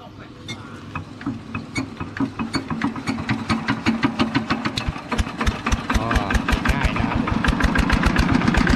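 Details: Used 105 LM single-cylinder diesel walking-tractor engine with front hand crank, described as running soft: steady thumping at about three beats a second, no extra knocks or misses; normal smooth idle.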